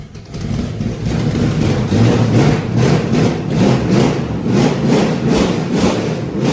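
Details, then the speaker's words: Carbureted V8 burnout truck being rebuilt for a competition; fuel comes only out of the front of the carburetor, not the back, and timing may be slightly off. Loud, deep idle that surges and pulses unevenly. The owners plan to pull and redo the carburetor. "I mean, but it's definitely a fuel issue. Not saying that the timing's not still off a little bit, but it's definitely a fuel issue."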